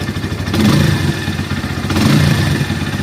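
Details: Bajaj Pulsar N150 after Bajaj workshop tape fix, light throttle blips: rattly clattering tick over the single's thump; tappet noise reduced but persists, pickup slightly improved; workshop says normal for Bajaj engines.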